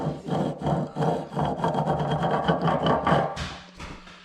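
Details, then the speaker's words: Polaris Sportsman 500 front differential, turned by hand with gunk inside. Uneven, gritty rasping bursts and scraping come from worn, chewed-up gears; the front differential is destroyed. "yeah those are war and whatever's in there does not sound good"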